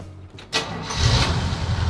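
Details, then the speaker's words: 1969 Chevrolet truck after spark is restored: brief crank, then fires right up into a steady firm idle; normal start. "she fires right up. That's a sound I like to hear."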